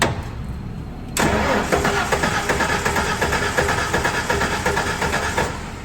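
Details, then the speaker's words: Ford 4.9L shop truck after fitting a new ignition coil: steady starter churning, never catches, rotor not turning; crank no start from broken cam timing gear. "go ahead and crank it oh that's a problem our spinning thing is no spinny yeah that's our issue yeah it's still locked in so I guess we need to pull our distributor out"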